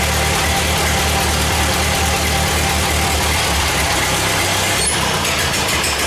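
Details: Old four-cylinder 8N tractor, just reassembled with the carburetor untouched out of the box, idles with a steady low chug, even firing and a slight lope; it runs fine.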